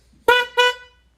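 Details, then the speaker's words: 2023 Honda CR-V stock horn before upgrade to an aftermarket Wolo low-tone horn: two short bright honks, steady even tone; stock horn working normally. "Today we're going to upgrade the horn on our 2023 CR-V to go from the stock horn that sounds like this"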